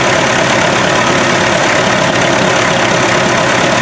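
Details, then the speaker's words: MD tractor diesel, freshly rebuilt after 40 years with new rings and rod and main bearings, idling: loud, lumpy beat of about four pulses a second as it refuses to run on all cylinders; cause unknown. "I'm having some trouble on the diesel side it's not wanting to run on all the cylinders I'm not sure why"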